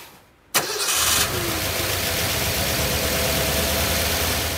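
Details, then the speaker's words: 1985 Ford Bronco V8, cold, after vacuum advance line reconnected, before new plugs and timing check: starts quickly and settles to a fairly steady even idle; noticeably better. "that sounded a little bit better let's move on now to putting in new spark plugs"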